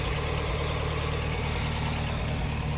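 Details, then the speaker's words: 1985 Chevrolet Astro van, 4-cylinder, 4-speed, sitting untouched about 15 years, first start since around 2011 with fuel pump relay jumped: low steady even idle without knocks or squeals once the sticky pedal was pulled out; normal idle. "Uh the pedal sticks. Uh once I pulled it out, it idles pretty good."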